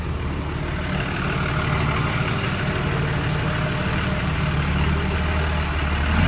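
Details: 6.4 Cummins 24V with a 5R110W transmission that stalled in Drive and Reverse because the torque converter clutch locked up, after replacing the torque converter. Low, steady diesel idle in Drive, no stall; truck moves under its own power.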